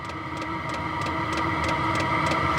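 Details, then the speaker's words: ZHIBANG Chinese 27,000 BTU forced-air diesel heater on a stand ramping up to full output: steady fan roar with rising whine and fine rhythmic fuel-pump ticking; full battery needed for best performance. "There She [Applause] Goes getting into ludicrous speed"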